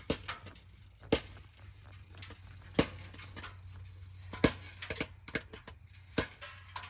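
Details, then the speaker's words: 2020/2021 Ford Transit 350 HD EcoBoost AWD (Coachmen Beyond van), just parked after driving, engine off, heard from underneath: sharp irregular pops and ticks roughly every couple of seconds over a quiet hum; owner thinks source is driver's side/middle. "so i just pulled up here uh in front of the house you guys can hear that popping i'm gonna try to go under here see exactly what that"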